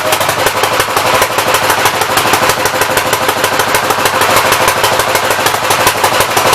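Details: 1964 Gravely L tractor engine: rough, rapid popping at about three a second over a ragged, stumbling note. Carburettor flooding, running rich; main jet adjustment stuck to the packing nut.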